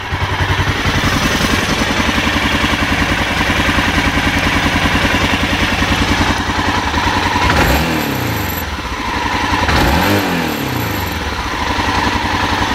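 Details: 1998 BMW F650 Funduro single misfiring, stumbling thumps, revs swell then fall back, won't rev above 3000 rpm even hot; revs fine with heated grips on highest setting; owner suspects wiring, carbs or fuel delivery.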